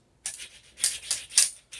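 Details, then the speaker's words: Videojet Dataflex Plus 6420 107mm printer, which came in with poor print quality. Timing belt moved aside, carriage pushed by hand with no motor running: gritty, raspy scraping bursts from the linear slide bearing alone; linear slide grinding, the root cause. "now there's nothing except for that linear bearing and you can see right away that's where the issue is you still see the grinding there's nothing else hitting"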